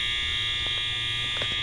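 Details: Overfill alarm at a school, heard while cycling past: a continuous high-pitched electronic tone, steady with no pulsing. The fire panel's supervisory was for an unrelated shunt-trip issue, and the cause is unknown.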